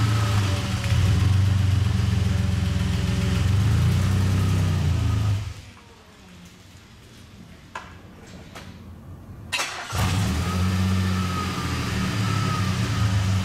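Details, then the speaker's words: DeLorean driving in traffic, also with long delay engaging gear: engine runs roughly at low speed, stalls completely when given too much gas, then restarts and idles; engine stalling. "it also has a stalling issue so I'm pulling out in traffic right now if I were to give it too much gas it'll just stall out as it did right there it's just completely stalled"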